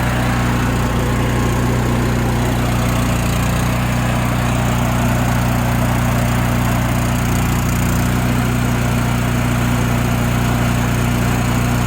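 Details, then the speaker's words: Honda generator after carburetor cleaning, gelled bad gas that plugged the jets removed, running off a jerry-rigged auxiliary fuel tank: steady, even drone with strong low hum, no misfires, surging or knocks; running smoothly at constant speed. "there we go stepping away from the motor because it's a little loud so hopefully you can hear me"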